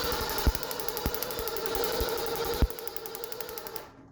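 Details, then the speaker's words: Fox Body Mustang off the road about 20 years, cranking on the starter with the coil disconnected after brake cleaner was sprayed into the intake: steady, evenly spaced compression pulses, with compression sounding even across cylinders; normal cranking compression. "it sounds like compression it doesn't sound that's what i was saying last time i was cranking and it sounded fine"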